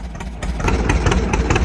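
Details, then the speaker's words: Old two-cylinder John Deere 60 tractor idling: slow, even putt-putt beat with a steady rhythm, no misses or knocks; healthy running. "Listen to the old John Deere run. She sounds good. Nothing runs like a Deere, baby."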